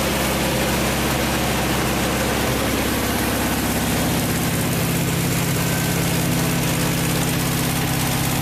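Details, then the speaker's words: Vintage VW air-cooled flat-four from a 1956 Beetle barn find (not original engine), first run after 23–24 years stored: steady even idle with smooth pulse, no knocks or rattles; healthy. "it runs really smooth uh no knocks no rattles fires right up with one or two cranks"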